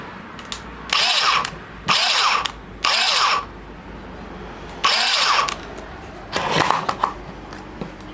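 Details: Electric starter motor on a 2-stroke Ryobi line trimmer, with the battery back in: short bursts of high-pitched whirring, about five presses, engine not catching; owner suspects the motor slips and doesn't turn the engine.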